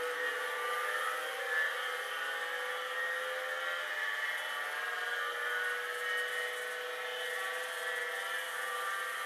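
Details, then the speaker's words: Hard drive nearly 40 years old, likely unpowered 30+ years, spinning after stiction was freed with a tap: steady high whir with thin whine tones holding even; spinning after freed stiction. "There is something with hard drives called stiction. There is. Where sometimes they might need a bit of a tap."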